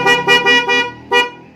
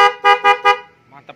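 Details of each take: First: Denso snail horn newly installed with relay, powered straight from the battery, on an automatic Vespa, tested before tidying up: short, thin, choked honks lacking punch; installer suspects the horn is touching bodywork; weak muffled horn. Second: Denso snail horns with relay, battery-powered, on an automatic Vespa, tested after remounting since the first position did not fit: four short, loud, clear, rich honks about a fifth of a second apart; normal horn.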